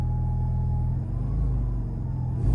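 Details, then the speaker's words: Alfa GTV after fuel pump rebuild fixed motorway power loss: deep, steady rumble that swells cleanly as revs rise, no misfire or knock; pump swap successful. "seems to be okay i think we've got it folks i think that's it pomp swap successful how about that nice the car's done it runs"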